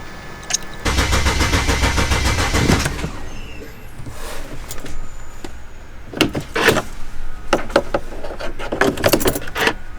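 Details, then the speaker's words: 2007 BMW 335i N54 after twin turbo replacement with downpipes, inlets, outlets and cooling parts refitted: starter cranks, engine catches within seconds and settles to a quiet, even idle; normal start. "so felix what do you think it came out pretty pretty pretty good came out pretty good uh i'm surprised that it's running the way it's running"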